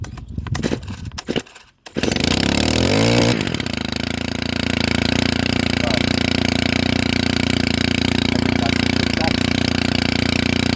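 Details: Stihl FS130R brushcutter that abruptly stopped, repaired by crimping a loose cable, tank full of fuel. After handling it fires, revs up within a second or so, then holds a steady, even high-speed buzz, running fine.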